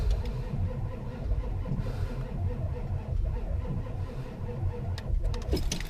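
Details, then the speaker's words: Truck cold start at about 18°F after an ice storm: deep, labored low chug dragging through each compression stroke, never catches; cranks very slowly and fails to start, owner suspects the starter is going out. "I know this thing's not very happy right now I think my starter may be going out on it cuz it turns over very slowly so this one might be a fail"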